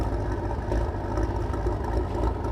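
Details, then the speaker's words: 2013 Maserati Quattroporte GTS, 530 hp Ferrari F154 twin-turbo V8, 301,000 km: rough lumpy stumbling idle, heavy misfire with bank timing codes; physical cam timing wrong, low compression bank one, high bank two. "it arrived in a very poor and broken State the engine is heavily misfiring and throwing codes for timing on Bank"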